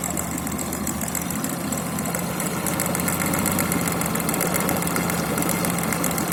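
A steady idle with a fast, uneven knock running through it, roughly four taps a second; a knock whose cause can't be pinned down.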